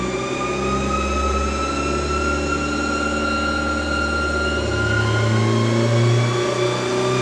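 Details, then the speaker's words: Turbo LS VTEC Honda Civic with new GSR camshafts, new ring gaps and an ACT 6-puck clutch, on the dyno for a baseline pull. The pitch climbs cleanly and steadily under load with no knock or misfire; sounds healthy and smooth. "sounds healthy sounds like really smooth"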